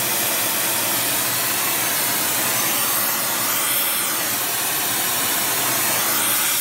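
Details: Airproducts Integra oxy-acetylene cylinders with built-in regulators and small mixer welding torch, pressures set by ear: steady even hiss, no popping or sputtering; torch burning cleanly and normally.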